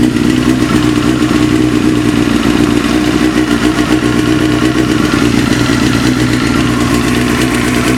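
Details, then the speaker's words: Engine knock at idle: busy clatter with fast uneven knock that quiets as engine warms toward 40–50°, nearly vanishing, and softens slightly with clutch pressed; source not pinned down, cause suspected not confirmed. "прогревается, тем тише звук вообще становится. Я, кстати, попробовал, когда сцепление выжил, звук потише чуть-чуть стал."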